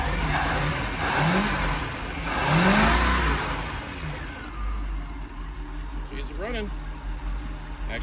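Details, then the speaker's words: Free boat, first start cranked at the starter solenoid with fuel pump primed; fires, revs a couple of times, then drops to a steady even idle with no misses; normal start and idle. "it's running really good idling nice he's doing good"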